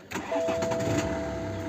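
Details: 2010 BMW 118d with N47 2.0 diesel and DPF/exhaust back-pressure sensor fault codes from a loose hose: a short crank, then it catches cleanly and settles to a steady idle. Start with live data showing the pressure sensor now working; a normal start.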